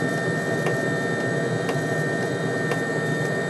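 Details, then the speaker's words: Webasto diesel heater on a homemade 555-based replacement controller, low setting: steady roaring burn with fuel pump ticking about once a second; unstable lean flame that flames out. "That's running on low. I think it might be just a bit of flame out. It has flamed out."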